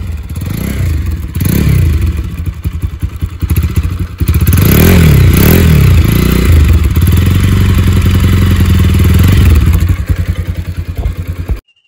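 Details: Bajaj Pulsar 200 motorcycle started after standing overnight, water being expelled from the exhaust: the engine catches and revs, firing steadily with a spluttery exhaust as water clears, then runs cleanly without seizing. Normal running.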